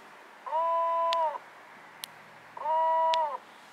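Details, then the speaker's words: MotorGuide Xi3 24-volt 70 lb thrust trolling motor on series batteries supplying 26.34 V: two bursts of steady high whine with nothing turning, steering motor powered but not moving; owner suspects a connection or power cable problem. "It should move. I'm just getting a whining."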